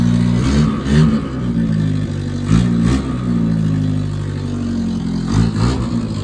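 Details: 1977 Chevy LUV four-cylinder, first real start after 18 years in a salvage yard: stumbles and surges in uneven blips with deep rumble, sounding rich and slightly flooded; needs a little adjusting.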